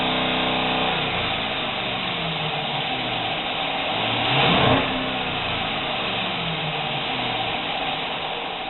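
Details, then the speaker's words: Jeep Cherokee 4G with a misfire on cylinder 5: it revs up and falls back with an uneven, stumbling beat and the truck shakes. Injectors were cleaned and coils and plugs changed; codes were erased. "pero como pueden ver la camioneta tiembla que maraca mediática"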